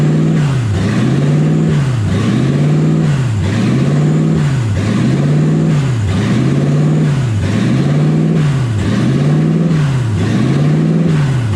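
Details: 1UZ V8 swapped Ford Falcon on first drive, warm (temperature about 160, radiator warm), smoke from manifold wrap: idle revs hunt high and low about 45 times a minute, never settling; owner unsure of cause, idle air valve stuck open.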